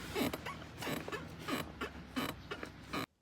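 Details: Seat creak in a Renault Megane 4: squeaky, rubbing creaks repeating about every half-second to second as the car seat shifts under weight.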